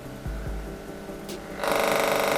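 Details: Magnetic contactor fed about 170 V or lower on its coil: a few soft clunks, then a loud rapid rattling buzz as it chatters and vibrates from the voltage drop.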